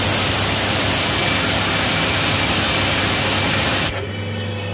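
Strong, even rush of spray over a steady pump hum that holds constant, then settles when the spray stops; pump delivering good pressure.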